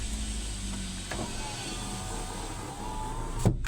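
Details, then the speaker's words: Hyundai i10 with the EPS warning light on and hard steering: a faint whirring grind from the electronic power steering motor as the wheel turns over a quiet idle, a worn motor that is due to be replaced with a new one. "आप आवाज महसूस करते होंगे यह आवाज क्यों आ रही है इसकी मोटर मैं बदलने जा रहा हूं"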